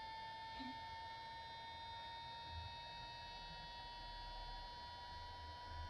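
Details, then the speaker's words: Traxxas EZ-Peak Plus charger fitted with a replacement 30x30x10 mm five-blade 12 V fan, swapped for the original noisy fan with a dry bushing: a quiet, steady high hum with no rattle; normal. "the new fan is in I've used it a couple times so far and I'll get it going for you just so you can hear what it sounds like of course it'll spool up after a while"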